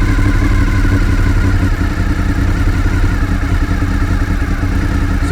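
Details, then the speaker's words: Fifth-generation Honda VFR800Fi motorcycle idling just over 1000 rpm before adjustment: steady low idle with even, slightly lazy beat and no misses; idle speed too low, to be raised toward 1400 rpm with the idle adjuster screw. "keep an eye on the rpm apparently it's a little bit too low so what i'm going to do is just raise it a little bit deciding at just over a thousand rpm"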